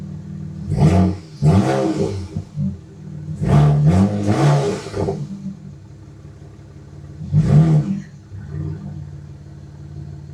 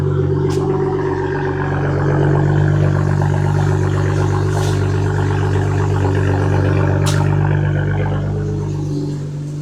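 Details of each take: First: BMW 335i with CTS turbos after rebuild (new rod bearings, timing chain, gaskets), transmission swapped, revved above 3,000 rpm: uneven shaky blips at the top; suspected misfire, later traced to a failing DME. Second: BMW 335i first start after engine work (new rod bearings, timing chain, oil chain, valve cover gasket, relubed cams): smooth, steady idle with an even low drone and no ticking, much better than the heavy ticking before; it may misfire above 3,000 rpm.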